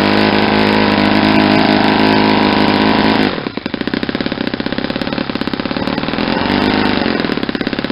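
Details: Saito 50 four-stroke on its first run after a rebuild (new ring, new bearings), warm, APC 11x7 prop, Omega 10% fuel. Needle leaned near peak: a high steady scream, then it drops to a crisp pulsing idle. Leaning cuts the exhaust smoke and raises the RPM.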